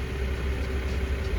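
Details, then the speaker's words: BMW E60 525i 3.0 N53 petrol with misfire codes (29CD), unstable idle and power loss. After the faulty ignition coil was replaced and codes cleared, it shows an even, steady idle with no shake or odd noises: normal idle. "if it goes well, it starts well it does not shake it does not have strange noises"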